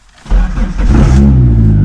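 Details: 1999 Dodge Neon with swapped 2.4 SRT-4 turbo engine, first start after winter storage and wiring work, low on fuel: catches cleanly after a brief crank, flares and settles into a steady even run; healthy start.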